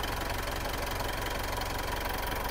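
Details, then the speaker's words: Warm diesel idling during a blowby check, with no oil spatter seen from the breather. An even, steady clatter with no deeper rhythmic knock: a normal diesel idle. "pakingan niyo makina walang katok Normal naar ng diesel"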